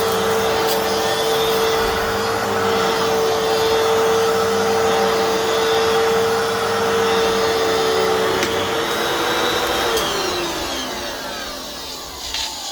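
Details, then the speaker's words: Fantom Fury 10 amp vacuum cleaner, just unboxed, original filter dated March 22, 1997: steady high motor whine with a coarse gritty edge, winding down; sounds rough, though owner thinks motor is fine. "And yeah, that motor, it sounds rough, but for the price, I can definitely deal with it."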